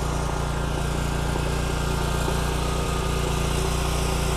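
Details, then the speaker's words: Kubota Z122R Kommander mower after a new carburetor: fired right up and, with the choke off, runs with a loud, steady single-cylinder putter, no surging or misses. "well so far it fired right up and as soon as i shut the choke off it smoothed"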